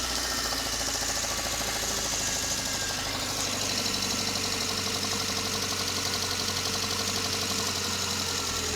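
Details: VAZ 21083 (2109) engine, just bought: sharp fairly quick tapping over steady idle, strongest in upper notes; knock somewhere in cylinder head, cause unknown to owner.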